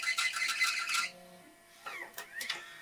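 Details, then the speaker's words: Macintosh SE/30 floppy drive during restoration, reading a System Tools 6.0.8 disk: rough, raspy buzzing grind for about a second as it spins and tries to read, then faint chirps; bad noise, cause unknown. "not like that yeah that did not sound good at all when it was trying to actually read the disc it did start to spin"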